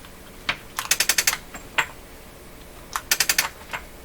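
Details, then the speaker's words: B&K CB Service Master bench test at 27 MHz, switched to antenna: rapid bursts of about six sharp clicks repeating after pauses, relay trying but not holding; relay chattering, meter set unexpectedly high, owner suspects broken connector or antenna wires. "so you hear the relay trying this meter set how did that get set way up like that how did that happen well that's not a good sign is it"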